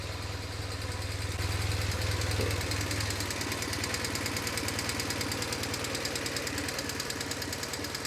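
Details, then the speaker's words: BMW R1150GS boxer twin idling: sharp rapid RPM-dependent tapping from the left cylinder, much worse than right; suspected valve train. "It has a lot of valve noise, like super just like a sharp tapping noise that's RPM dependent. So my guess it's the something in the valve train, but let's hope it's not something more serious."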